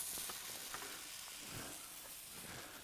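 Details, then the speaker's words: Tractor tubeless tire, aired up after going flat; hissing, frothy sizzle with faint crackling bubbles and no engine running as soapy water reveals air escaping through a hole. "so now that we got it aired up we're going to take the soapy water we're going to find this leag I can hear it oh there it is right"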